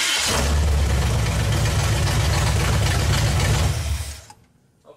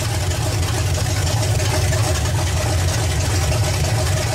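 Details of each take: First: V8 after setting ignition timing, vacuum advance lines unplugged: catches at once and holds loud, even, lumpy idle a few seconds before shutoff; normal easy start. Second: Small block Chevy idling with base ignition timing at about 3–4° BTDC: loud, lumpy, slightly uneven idle; timing to be advanced to about 12° BTDC by turning the distributor.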